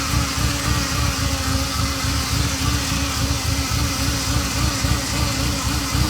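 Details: Ferrari Mondial 3.2 at cold idle with a steady mid-pitched buzz over uneven idle, starting 15 seconds after cold start as oil pressure rises and fading when warm; loudest at braided oil hoses to the fan, source unconfirmed.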